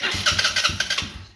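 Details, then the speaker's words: 2008 Polaris Outlaw 90 ATV, previously rolled but motor said to run great: starter button pressed without throttle, quick whir with uneven chugs that almost fire, then stops; needs start button held or a little throttle. Normal electric-start cranking. "all right almost did it I'm going to have to hold the start or throttle"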